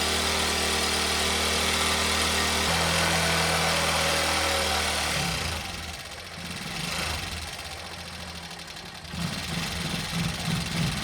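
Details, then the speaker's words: Old Bajaj Pulsar single-cylinder bike, started with a little petrol poured directly into the carburetor rather than from the tank, confirming a fuel supply problem; steady, even idle thump, running normally. "तोय देखो start हो गई और चल भी रही है"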